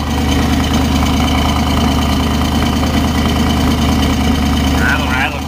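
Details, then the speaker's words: Original 1968 Camaro Z28 with a 302 DZ-block V8, solid lifters, about 40,000 miles: steady idle with fast, even ticking valvetrain clatter over the exhaust rumble and the air injection reactor pump buzzing; normal solid-lifter chatter. "I heard it right yeah CL clad rattle rattle camel hump head right there"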